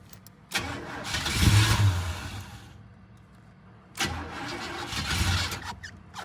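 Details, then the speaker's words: Old hot rod after fitting a new fuel line loop and extra filter before the pump; two long bursts of rough, uneven cranking, no catch, while the new line primes; "she's trying". "She's trying. It's probably going to take a minute to get it primed back up where I added that new line."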